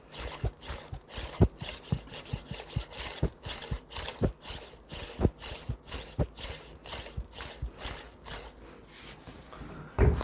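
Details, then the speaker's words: Bad AC compressor off the vehicle, clutch/pulley turned extremely slowly by hand: rough, rasping scraping in uneven strokes, failing compressor clutch/pulley; would be very loud spinning on a vehicle. "you can see it's making some sort of scraping noise and that is just me turning that pulley extremely slow"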